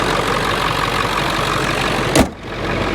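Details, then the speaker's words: 1999 Ford F350 7.3L PowerStroke turbo diesel, just got running: a deep, steady diesel clatter at idle with an even beat and one brief thump near the end; it sounds healthy; normal idle. "I think listen to that diesel I'll give it to the old girl man it ain't pretty"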